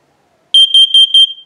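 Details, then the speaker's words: First Alert plug-in carbon monoxide alarm with battery backup, installed in a basement near the furnace: four loud, piercing high-pitched beeps during the self-test triggered by holding its button; working normally. "it chirps it and it is ear piercing I don't know how well you can tell okay so now it's done with the test"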